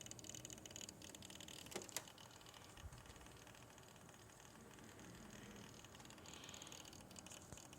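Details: Corsair H80i liquid CPU cooler, worsening over a couple of weeks: quiet, irregular crackles and a couple of sharp pops over a soft hiss; intermittent cracking and popping.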